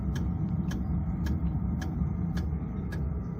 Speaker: It's really just the pump you can hear ticking away.